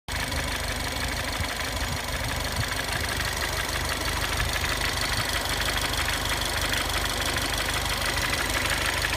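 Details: 2015 Ford Fiesta ST, 300 miles, warm idle after a five-minute drive: steady idle with a light, fast ticking clatter over the engine, cause unclear; abnormal engine noise at idle.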